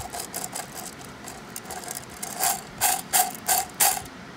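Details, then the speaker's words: Bearing spun by hand from a drivetrain with a decayed aftermarket clutch: dry, gritty ratcheting with uneven clicks nearly three per second, like metal balls rubbing. Suspected to be the owner's problem. Gritty bearing. "like metal balls just like rubbing each other in there so I think that was what his problem was"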